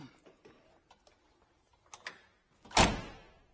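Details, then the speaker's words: 1959 Edsel Ranger hardtop, driver's side door: a few light latch and handle clicks, then one solid, clean thunk as it shuts; door closes and lines up properly, unlike the passenger door being adjusted. "Just the way it should. Everything's good here, and it all lines up there."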